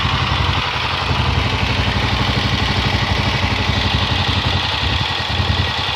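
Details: Honda XLR motorcycle at idle: fast, uneven clatter, about four beats a second, over a lumpy single-cylinder idle; an abnormal internal engine noise, cause unclear.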